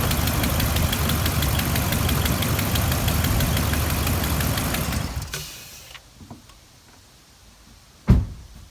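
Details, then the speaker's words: Engine started after alternator replacement, known exhaust leak awaiting repair: loud, uneven idle with fast puffing tick about three per second before shutoff; exhaust leak. "'m gonna start it out and don't worry the exhaust leaks the next thing to get fixed"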